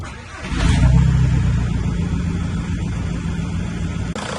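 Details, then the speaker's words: VW 1.9 TDI PD diesel started after temperature sensor replacement and coolant refill, bleeding with heater on hot: steady low, even tractor-like diesel clatter settling into smooth idle with no misses or knocks; normal idle. "As you know, a PD engine sounds like a tractor, and I feel like this is so strange."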